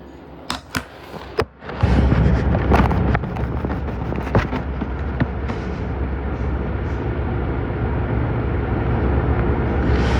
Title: Samsung washer weirdly shaking and making noises